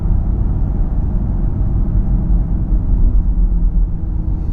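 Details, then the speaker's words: 2012 Ford Fusion SEL in the cabin at about 50-55 mph: a steady low drone under heavy road rumble that builds with speed, possibly with slight vibration; new balanced tires, alignment fine; speed-dependent humming noise. "It gets louder at 50, 55, and I think there might be a little bit of a vibration."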